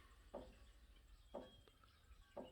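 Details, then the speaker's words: Old tractor loader: sharp creak about once a second over a quiet background, each creak the loader coming down about half an inch; hydraulic leak-down letting the arms creep. "Yep, every creak is that loader coming down about 1/2 inch."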